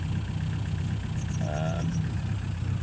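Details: 1936 Rover 12 tourer, about 90 years old, first run in March after three months' winter layup, about 7 °C outside, now warmed: low even idle with steady beat, no knocks or misses, oil pressure up to its usual 30; normal warm idle.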